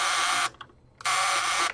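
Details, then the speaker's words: Dustbuster-type handheld vacuum, found broken right off its charging station. Two half-second bursts of a harsh, high buzz cut off abruptly; the fan blade isn't spinning. The owner suspects something inside is jammed, unconfirmed. Motor buzzing without spinning. "so it sounds to me that something inside is jammed because the blade isn't spinning"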